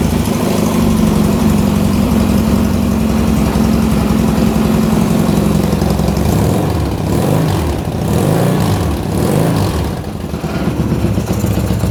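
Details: 1977 Yamaha XS650 twin, last licensed 1990, after carb overhaul, cam chain, valve set, head retorque, Tritronix ignition; 135/150 compression. Cold start on choke: catches and holds steady even idle, clean throttle rises without misses; healthy.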